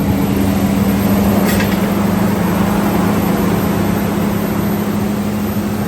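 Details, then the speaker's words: Toyota Tundra 4.7L V8 idling right after timing belt and water pump replacement, first start-up with coolant freshly added: smooth even idle, steady hum, no ticking or knocking; runs quiet and healthy. "She's running, everything's together, sounds good, it's nice and quiet."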